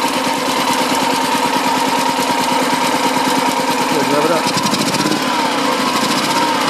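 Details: BMW Isetta 300 single-cylinder running for the first time after restoration work, on choke, low on fuel: fast, even putter at steady speed, clean firing, quiet exhaust, no knocking or rattles.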